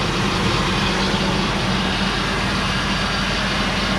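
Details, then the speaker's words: 2000 Ford Expedition V8 with replacement engine, idling just after first start following a spell of sitting. Even, steady smooth low rumble with no knocks, ticks or misses. Normal idle; only a transmission cooler line leak found afterward. "up first start remember the motor been sitting for a while it's good"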